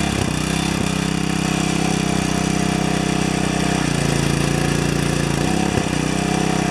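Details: Four-horsepower Briggs & Stratton vertical residential pressure washer damaged by freezing: small engine hums steadily, pitch shifting twice as load comes and goes; the unloader valve is bypassing instead of holding pressure.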